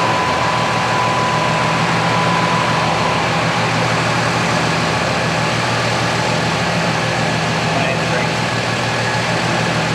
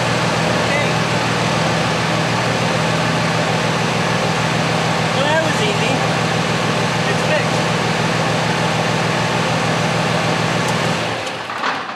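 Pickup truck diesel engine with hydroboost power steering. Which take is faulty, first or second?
first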